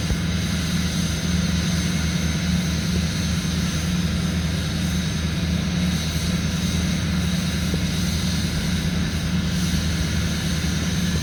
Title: 2005 6.6L LLY Duramax cold start high idle